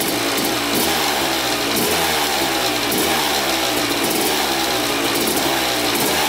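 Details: 2000 Suzuki RM250 two-stroke after welding underside of expansion pipe: crisp blips up and back down evenly, no exhaust puffing or rasp; weld holding without leak, run about 10 minutes, oil clear so water pump seal likely good.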